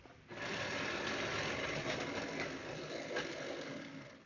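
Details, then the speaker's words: Old Athearn Blue Box locomotive before restoration and tune-up, at about 25–30% throttle on hollow track; harsh, steady grinding whirr like a coffee grinder from the gear drive, and it runs in the opposite direction to standard. "so first thing is it makes a part of its a track it makes sort of a grinding noise as you probably hear"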